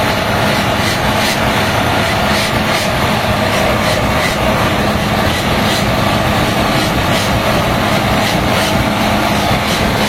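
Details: HB365 diesel with an EGR-type turbo, after repair of a severe rubbing/chirping ("cekekek") turbo noise that appeared at high idle: a loud, even roar with a steady turbo whoosh and no rubbing. Turbocharger operation is normal.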